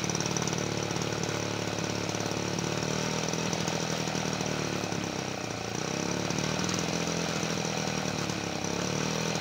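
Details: 1977 Peugeot 103 V moped after restoration, first start in a long time on full choke: buzzy two-stroke with a rough uneven note that sags and surges instead of holding a steady idle.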